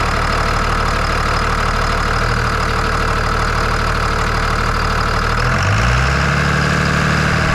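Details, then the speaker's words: 1999 Ram 2500 with 24-valve Cummins diesel, after head gasket replacement: loud, steady diesel clatter at idle, even beat with no misses or knocks; runs much smoother than before the repair. "But now that we got it running, it runs nice and smooth. It's loud, but you can tell it runs a lot smoother than it did."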